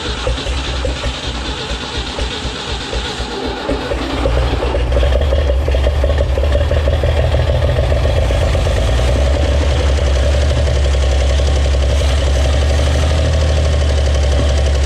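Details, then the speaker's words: 1961 Chevrolet Impala, base 235 six-cylinder, sat 28 years in junkyard, first start; stumbling then loud lumpy idle; owner suspects too much fuel or vacuum leak, timing also considered; rough running. "ah that boy ain't right seems like it might be getting too much fuel too you gotta really give it to it so maybe we got a vacuum leak"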